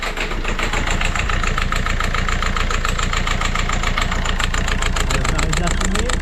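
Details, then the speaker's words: Citroën C4 Grand Picasso diesel, first start after 5 months, idle: loping uneven beat with light clatter; rough idle, owner unsure whether injectors clicking or a con-rod knock, pressure regulator or sensor suspected. "Bon il tourne pas très rond, on l'entend bien mais là il tourne."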